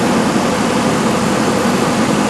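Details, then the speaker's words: 1995 Cadillac Sedan DeVille with 4.9 litre V8 (not Northstar), scrapyard car: quiet, steady, even idle with a soft airy rush, no knocks; a pulley or belt may be tweaking slightly; normal idle. "therefore running engine that's it not a Northstar motor here quiet sounds like there's a pulley or a belt there's something tweaking a little bit but f"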